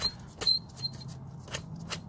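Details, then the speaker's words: 1988 BMW 325ix E30 blower motor being removed: sharp, high chirping squeaks over a low fan hum. Spinning the motor by hand, the squeak seemed to come from where the fan wheel joins the motor. "so I'm taking out this blower motor and basically there was a clip here and you pull up on this and a blower motor should you can hear it it's squeaking"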